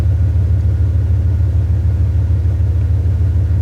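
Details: 2001 Dodge Ram 1500 5.2 V8, long-sitting, after new spark plugs, fogging oil and gas tank repair: deep steady rumble with even firing beat, no misses or knocks; running smoothly, no stored codes.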